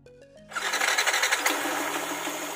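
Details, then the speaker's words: Bored-up Yamaha NMAX with rough CVT noise despite new sliders: after refilling oil, engine starts and idles evenly and smoothly with no knocking or rattle. "Nah, suaranya halus. nggak berisik kayak tadi ya."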